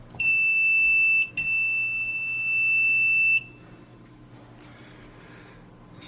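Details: Apartment fire alarm panel just after new backup batteries were fitted and the panel was reset: two long, shrill beeps of one and two seconds, then quiet. The panel is still signalling a trouble condition.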